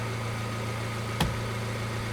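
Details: Ford Transit Connect diesel van that suddenly would not turn over, now running after a fuse fault was found. Steady low diesel rumble at idle, even and unbroken apart from one handling knock; normal idle.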